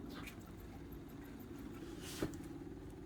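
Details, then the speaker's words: Onan 5500 RV generator after fuel filter leak repair, primer button pressed: faint steady low buzz as the fuel pump primes; owner notes it should be nearly silent and a loud pump means a bad pump. "I hear it pumping. And they say you should almost not hear it. Yeah. If it's loud, the pump is bad."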